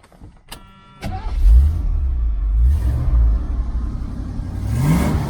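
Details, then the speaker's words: 1978 El Camino SS V8 after a DIY X-pipe dual exhaust install, just lowered off jack stands. It catches on the second try and revs in deep rising pulls. The exhaust is steady, even and throaty with no leaks or rattles: normal. "and those two hangers there looks pretty good sounds pretty good I'll let you hear it here in just a minute"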